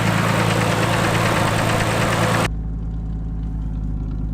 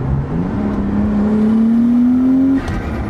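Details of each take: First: Nissan R33 Skyline turbo after fitting new Splitfire coil packs to fix breaking-up, a shattered connector repaired: steady idle with a faint, even tick about four times a second riding over it; source of the tick unclear. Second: Nissan Skyline R33 turbo, warmed up, after new Splitfire coil packs and spark plugs to cure breaking up: smooth clean pull, engine note climbing steadily under load, no stumble or splutter; runs better than ever.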